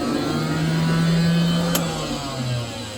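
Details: Abandoned Lear Jet, battery turned on after years, powering up systems before engine start: steady low hum with faint whine, easing slightly in pitch; small cabin blower motor spinning freely, running normally.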